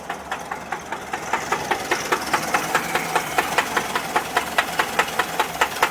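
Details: 1979 Volkswagen Type 4 air-cooled engine idling with a sharp, regular knock repeating several times a second: engine knock at idle.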